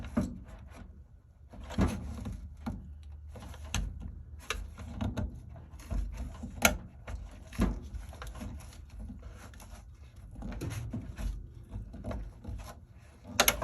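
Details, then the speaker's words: GE dryer timer after repair of a stuck, non-starting knob: uneven run of dry clicks and ratchets as the knob turns in a quiet room; mechanism moving freely, normal. "You just gotta get the stuff in them, get it working, and pretty soon you'll see how nice and free it turns."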